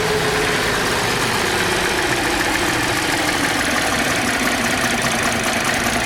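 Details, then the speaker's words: Car with no oil change in 4 years, sludge coming out, running on mixed leftover flush fluid: uneven, ragged hunting idle, slowly settling but still uneven; lifters possibly starting to work; rough idle from oil sludge. "But hopefully it runs, and can you hear that? It's not very happy. Not very happy at all."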